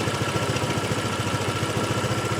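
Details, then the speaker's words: Honda PCX150 scooter at idle: steady low thrum with fast, even buzzy rattle on every firing pulse, traced to the factory exhaust baffle visibly vibrating; exhaust baffle rattle. "Maybe it's the exhaust. It is! Oh my God, I can see it moving. It's the exhaust baffle. The factory exhaust baffle is having a conniption fit."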